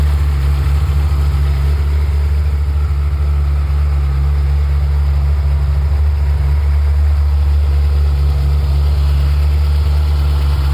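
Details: Ferrari F355 engine after warm-up, normal state: deep, even idle hum holding perfectly steady, no knocks or ticks; healthy warm idle.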